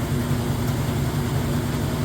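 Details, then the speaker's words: GE direct drive top-load washer, medium casual cycle, warm/cold, super load size, first spin draining used water: smooth steady low hum with no banging or scraping; balanced, normal spin. "So this is the first spin, spinning out the used up water. And you can see, nice, balanced, smooth. Sounds great."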